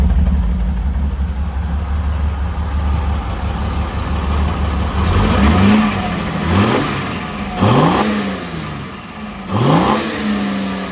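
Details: Freshly rebuilt Holden grey motor on first start-up with a temporary exhaust exiting straight out of the muffler, no tailpipe yet: steady idle then three or four clean blips rising and falling smoothly, no rattles or misfires; normal revving.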